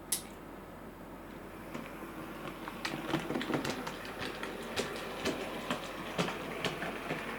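Irregular sharp clunks, roughly two a second, repeat as the loco runs over quiet track hiss; a split axle gear catching.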